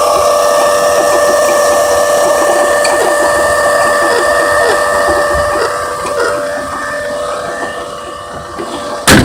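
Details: 2003 Vue 3.0 AWD engine at idle: a steady high-pitched whine rides over an even idle with a faint irregular rattle, consistent with a bad water pump bearing; timing belt to be replaced.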